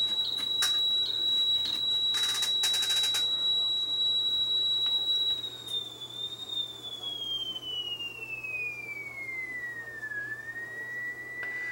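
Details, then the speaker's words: Sony TC730 reel-to-reel running slow, test tone after a capacitor change raised the speed near 4 kHz (3.9–4.1): the tone holds steady, then wavers and slides lower, with audible flutter as the speed hunts. "it's shifting slightly which is to be expected because I hear a flutter what's going on why is that thing why is that"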